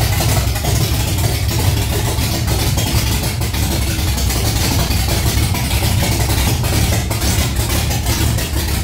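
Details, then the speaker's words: Holden Torana LX engine on its second start, the day after cam break-in, idling straight out of open extractors with no exhaust fitted: very loud, sharp, crackling idle with every firing pulse clearly audible. "As you can tell, it's very loud and my ears are ringing and the neighbors are going ballistic."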